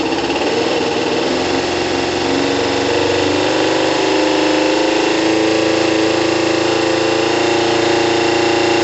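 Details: Kawasaki ZL600 after valve adjustment, new coils and resealed exhaust, on choke, cold and warming up, about 3 L fuel on reserve: even steady idle creeping up as it warms, no exhaust puffing or hiss; engine healthy.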